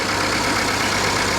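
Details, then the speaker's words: Ford EcoBoost engine in a salvage auction vehicle with a pink RN sticker, idling with a steady, even hum, smooth hiss and low drone, no knocks or misses; normal idle, engine sounds great. "I love these EcoBoost motors, man. These things are... Sounds great. Yeah, they're rippers, man."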